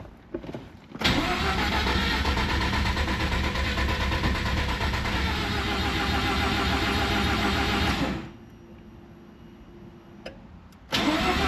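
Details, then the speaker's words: Freshly rebuilt Mazda RX7 FC 13B NA rotary, first start, idle opened fully: fires and runs rough and loud about seven seconds, then dies and won't restart; owner heard fresh rebuilds need cooling before restarting. "All right. Well, it won't turn back on."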